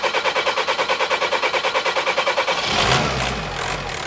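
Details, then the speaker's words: VW Caddy Maxi 1.9 TDI PD diesel after injector seal replacement, in workshop: steady rhythmic clatter about three beats a second, even and unbroken, then note changes; normal healthy pump-injector diesel idle. "Yeah, it sounds good as well, Rowan. Smoke out in the workshop. Sounds lovely."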